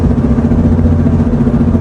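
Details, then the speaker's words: Front suspension while rolling, before repair: a constant low rumble with a rhythmic knocking pulse from a worn front end. The owner plans to replace wheel bearings, ball joints, control arms and tie rods; the exact failed part is unconfirmed. "So now I get to replace the wheel bearings, the ball joints, the control arms, and the tie rods."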